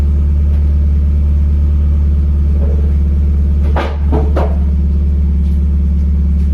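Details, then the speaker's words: Miata drift car cruising around the neighborhood after a new muffler was fitted. The exhaust is a deep, smooth, steady drone with no rattle or buzz, much improved. "all right quick spin around the neighborhood oh God I can already say it is so much better"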